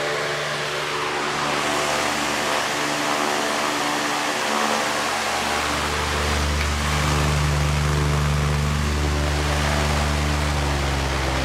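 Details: Patton 18" high-velocity fan model U2-0018, four-pole PSC motor, blades re-pitched steeper for balance, started on high: steady even whoosh and smooth motor hum, no wobble, rattle or ticking; runs much quieter, moves more air, normal running.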